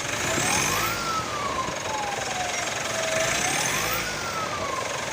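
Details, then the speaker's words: 2017 Mitsubishi Pajero Sport at 104,000 km, stationary and revved: loud whistle rising and falling with each rev from turbo compressor blades damaged by debris entering the turbo; air filter already replaced. "Ya, turbonya kisi-kisinya rusak teman-teman. Dengar ya suaranya ya."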